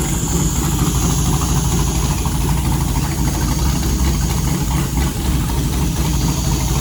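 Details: LS 5.3L V8 with Holley Terminator X 550-917 and 4L60E, first fire-up out of the car, coolant 74, battery 12.5 V, alternator unhooked: steady even V8 rumble with no knocks, ticks or misses; normal idle.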